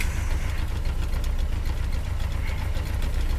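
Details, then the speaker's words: Rover P6 started cold on a cold day in England, choke nearly in, not yet warmed up: slightly uneven, lumpy idle at about four pulses a second, no spluttering. "that choke is nearly nearly in if I push it right in chin even warmed up not yet and running a little lumpy name but sure sure ever up no kafra splattering but she's just running a little bit lumpy"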